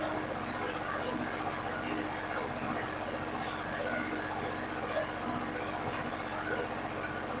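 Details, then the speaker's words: Yanmar diesel generator set, just started by pushbutton: a steady, even diesel clatter with no misses or surging. Running smoothly. "Oh, now it's doing things it's supposed to. Making noises. There's fuel."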